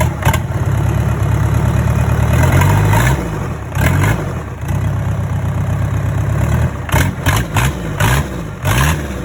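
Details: Hyundai D4DC diesel started after a rebuild: steady clatter at idle, picking up cleanly through several throttle blips and settling back smoothly; normal, healthy idle.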